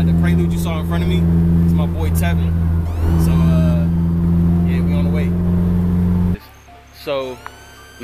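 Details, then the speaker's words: Honda Prelude F20b with a new Precision 6266 turbo, recorded while driving: engine drone under loud whistles that rise with each throttle push. The compressor outlet is open with no charge-pipe bend fitted, so boost vents out the front, sounding like a diesel spool. "So, literally, all the pressure that's building is going straight out the front of the turbo. So, it's, like, whistling crazy. It sounds like a diesel spool."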